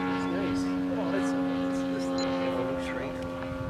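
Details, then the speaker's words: Yamaha TW200 carburetor test, engine held at half throttle: steady, unwavering buzz with no misses or surging; running clean and healthy at half throttle. "That's his half throttle, no problem."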